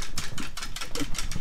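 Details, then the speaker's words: STACYC 16eDRIVE brushless electric bike, dealer-assembled, while child rides: irregular light clicks, no steady tone; drive chain too loose and moving, to be tightened. "so what that is is the chain down here the chain looks like it's a little bit too loose you can see it moving around when i put uh tension on it so we're gonna tighten up that chain to get that noise out"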